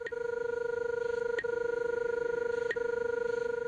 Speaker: when the signal is on your left you'll hear a pinging tone along with the normal audio